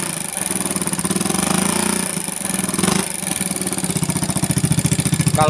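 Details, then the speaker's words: Motorcycle rebuilt not long ago, running a big loud aftermarket exhaust, turned rough again: fast light ticking over slightly uneven running that sharpens with revs; valve tappets chattering from loose valve clearance. "digas makin ngeletek ngelitik Apa ngeletek ini Ya dibilang ngelitik tapi agak ngeletek dibilang ngeletek tapi agak ngelitik intinya kayak gini suaranya nih"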